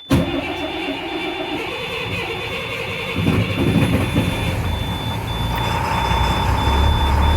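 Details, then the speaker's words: DT466E diesel school bus in Midwest winter cold, grid heater used, cranked up to 45 seconds: cranks, catches and settles into a steady idle with a warning alarm beeping over it; healthy cold start. "And now I'm going to start the bus. I'm going to crank this for up to 45 seconds until it starts."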